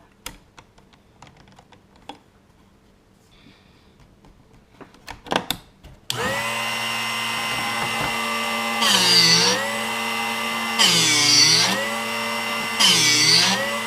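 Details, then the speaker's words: Drill Doctor 750X sharpening a solid carbide straight-fluted bit, with the jaw depth turned in a little at a time until the wrong noise stopped. Steady motor whine with a bright grinding rasp about every two seconds: normal grinding. "So that's the noise that we want to hear."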